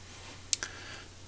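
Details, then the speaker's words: Washing machine water-inlet solenoid valve (coil around 3 kΩ) energized directly at 230 V on the bench: two sharp, crisp clacks as the plunger snaps up against its stop, showing the valve works normally. "vous l'entendez claquer, et donc ça veut dire qu'elle fonctionne. Claquer, ça veut dire qu'on entend le pointeau qui vient remonter et claquer contre sa butée."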